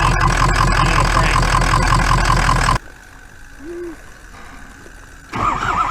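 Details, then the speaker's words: Ford Powerstroke pickup with the engine shut off and cranked to check a suspected weak or dead cylinder after rough running: lumpy, uneven cranking beat that suggests a weak cylinder, which the owner plans to fix. "doesn't seem to be definitely got a weak weak cylinder that hole we should shut it off and just crank it see if it sounds like a dead"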